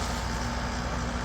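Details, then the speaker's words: Amana AC condenser that had been freezing up, after replacing the failed fan capacitor: fan now at full speed and compressor at full capacity, a steady low whoosh with no humming like before; fixed and healthy. "Kicks right on, and you can see the fan is running at full speed now. Compressor is running at full capacity, and it's pretty quiet, so it's not humming like it was."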